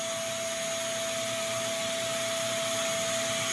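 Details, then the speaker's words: New FLSun T1 3D printer failing self-test (temperature, vibration compensation, bed level), bed and nozzle not heating: steady airy high whir as the fan runs at full speed from power-on and never stops, fan running constantly. "And I've tried manually moving things and you can hear this fan is on. This fan switches on the moment you turn the machine on and does not stop. And that can't be right."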